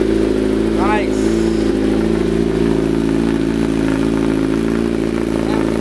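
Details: 2008 Kawasaki ZX10 after replacing the starter solenoid (bike had been cutting off after running and sometimes not restarting), first start: steady, even idle, smooth low drone, no misses, knocks or starter chatter; running normally.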